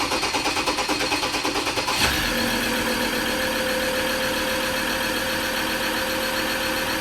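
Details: Recently bought Ford Ranger diesel with leaking injectors, missing injector washer, loose bolts and badly blocked EGR valve: chugs roughly a few beats, catches into a loud idle with a sharp hiss underneath; exhaust leaking at the EGR pipe joint.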